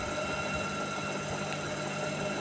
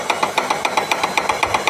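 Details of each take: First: IFB Senorita Aqua VX front-load washer after drum/belt repair for knocking sound: even drum rumble and smooth whir, no thumping, rubbing or squeal, fast spin; knock gone, runs normally. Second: IFB Senorita Aqua VX front-load washer, drum turning: sharp regular stone-breaking-like knock about eight times a second from loose rear drum pulley, held by ordinary 13 nut and washer instead of correct nut after earlier repair.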